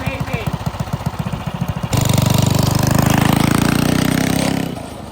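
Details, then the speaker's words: Custom yard go-kart with single-cylinder engine, fresh oil, revved: choppy thumping then a harsh rattling roar from the drive chain; chain may need aligning, drag bearings suspected. "Ew, that sounds terrible. Sounds like we need to line the chain or something."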